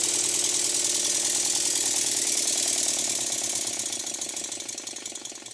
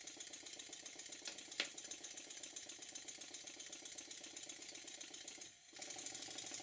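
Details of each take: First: Stuart model steam engine after eccentric adjustment for forward and reverse: quick hissing chuffs about three a second, slightly uneven between beats; runs great one direction but beats not even enough in the other, so valve timing gets a further very fine tweak. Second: Stuart model steam engine after a very fine adjustment to cure a slight knock from one cylinder: soft steady steam hiss with quick, even chuff and no knocks or stumbles; runs smoothly on low pressure.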